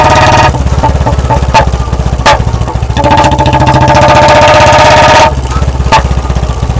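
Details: Royal Enfield Bullet 350 BS4, warmed up with a ride first, on the road: sharp loud exhaust cracks every second or so over the thumping single as the throttle closes, from a deliberately lean carburetor setting.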